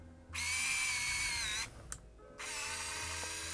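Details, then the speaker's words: Yashica Microtec Zoom 90 (Kyocera Lynx 90) 35mm point-and-shoot, 30-90mm power zoom on CR123 lithium battery, switched on: two short even high-pitched motor whirs as the lens zooms; normal zoom motor operation. "okay let's turn that on yes that's that unmistakable sound of the zoom"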